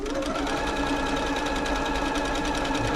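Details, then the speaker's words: Janome Atelier 6 sewing machine, a few years old, after servicing and oiling, running a wide stretch stitch: smooth, even rapid stitching with steady hum; earlier slight noise gone after lubrication; normal running. "start that slight noise is gone now so the uh the lubrication obviously worked its way into it that's nice"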